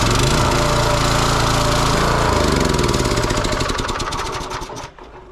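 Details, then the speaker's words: Kohler SH265/SH255 6.5hp engine on Cub Cadet rototiller, just after carburetor replacement, choke on at startup: single cylinder runs fast and even, firing cleanly without misses or hunting, then winds down; healthy running. "it's running great. I'm impressed."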